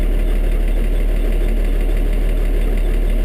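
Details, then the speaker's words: IH 1086 diesel tractor just after a cold start on a mid-20s morning, regular diesel: steady low idle, even clatter, slightly rough while cold, squeaks and rattles, otherwise healthy; normal cold diesel idle. "otherwise that's the cold start on this thing not too rough is it all the squeaks and rattles the bangs"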